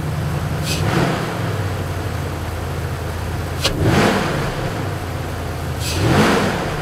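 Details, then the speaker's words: Cold start after fitting fresh filter: steady low idle with three clean blips rising and falling smoothly, no knocks or rattles; normal engine revving. "let's do a cold start on this thing just because i get my pipe on just to analyze the sound more accurately i think it sounds good"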